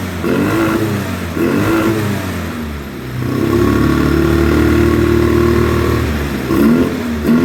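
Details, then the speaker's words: 2009 Polaris Sportsman 800, sat six months, bad fuel pump, injection cleaner in fuel; injectors possibly gummed, plugs suspect: quick throttle blips then a sustained clean pull to high revs, no misfire; upper range strong despite lumpy idle. "mid-range kind of sucks but from mid-range up to wide open throttle it runs great as you heard it was revving up really good"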